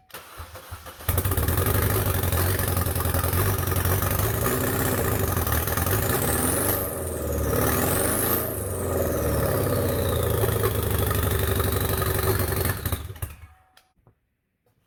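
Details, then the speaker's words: 2012 Chevy Cruze turbo with a cylinder 4 misfire history, running with the catalytic converter removed: harsh, raspy idle with a loud rising whistle on revs; the converter clamp is broken. "what that sounds like definitely whistles pretty loud"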